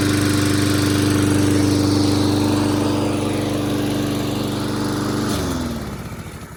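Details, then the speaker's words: Toro mower, model 20370, after carburetor cleaning, reassembly and fresh gas: small single-cylinder engine runs at a steady, even beat for five seconds, then winds down as it shuts off. Runs normally now, no longer starting and dying. "So, as you can see, it runs so much better now, and now it will actually start and not die."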